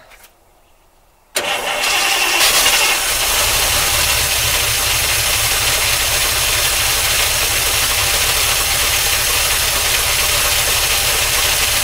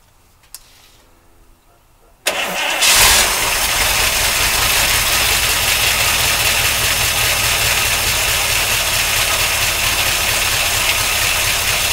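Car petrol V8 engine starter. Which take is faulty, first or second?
first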